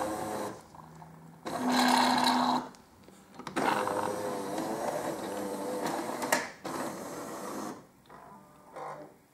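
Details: Jura CZ117 coffee machine during descaling rinse: buzzing pump hum in bursts with water rushing through between pauses, an even, unstrained note; normal pump operation.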